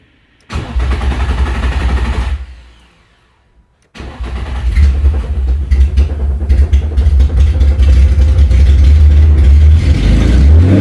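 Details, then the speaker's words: Nissan 350Z after sitting over two years, first start after engine and transmission install: no fuel pump heard; two-second crank that never catches, pause, then cranks, fires and runs unevenly revving; cause suspected, not confirmed. "Don't hear a fuel pump, but the radio works. Okay, that's a good start. She turns. I don't hear any fuel."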